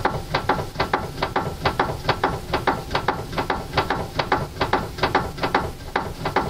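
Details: Car steering with tie rod boots removed, tie rods found fine: sharp, regular knocks about two to three per second with no engine sound; steering knock, suspected inside the rack body.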